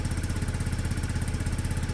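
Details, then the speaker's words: Peugeot Satelis barn-find scooter after immobiliser wiring work, just started; steady even putter, no misses or knocks; sounds healthy, normal idle. "that sounds healthy you that side a try sounds great"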